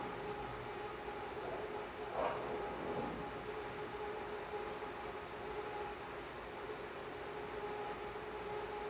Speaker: Okay, so the cut we heard there was unstable. That was chatter.